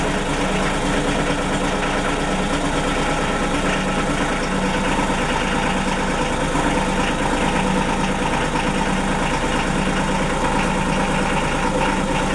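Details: Denyo DCA-15SS-N genset, 1.6 L 3-cylinder Nissan diesel (18 PS at 1500 rpm), over 30 years old, cold just after first start in years, smoking a little: steady even clatter, no misses or knocks; normal idle.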